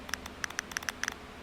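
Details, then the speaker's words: 2004 Chevy Impala purge solenoid on the bench, 12 volts applied, held right next to the microphone while air is blown through: crisp clicks in quick bursts as it opens, air hissing out; closed when unpowered, in good condition. "So now when it's activated, I'm going to keep blowing into it. The clicking that we hear is this thing opening and letting air through."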